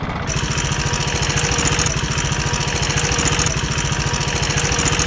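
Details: KTM Duke 390 single-cylinder, ridden in traffic: a busy metallic top-end rattle that began suddenly mid-ride the day before. The cause is a cam chain tensioner issue, later solved.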